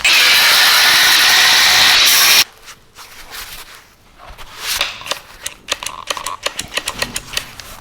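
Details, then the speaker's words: Knockoff "Makita" 18V brushless cordless angle grinder cutting on a flat battery: the loud high cutting whine dies abruptly after about two seconds, leaving rattles; the owner suspects built-in under-voltage protection. "ah so the battery's flat so maybe it does have some under voltage protection built in"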